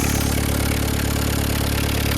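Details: VW Caddy pickup 1.9 diesel, jump-started on a weak battery, cam belt history unknown; even, steady diesel clatter at idle with no misses, knocks or hunting. Normal idle, sweet as a nut.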